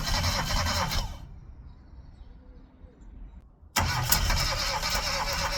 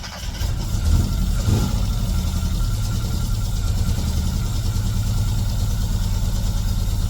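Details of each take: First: Classic Mini, first start attempt after 12 years, engine known for low compression: starter churns about three turns a second and engine stumbles without catching; cranks but won't run yet, starts shortly after. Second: Classic Mini, first start in 12 years despite low compression: engine catches, revs briefly, then settles into a low, steady, even idle with no knocks or misses; normal idle.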